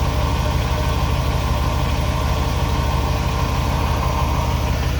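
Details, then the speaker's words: Chevrolet 2500 Suburban, Vortec 6.0 liter, 269,000 miles: steady engine run with a loose, irregular metallic rattle and clang that takes a minute to start after cold start; owner suspects a heat riser valve; unconfirmed. "don't know something rattling and clanging in there it's not so"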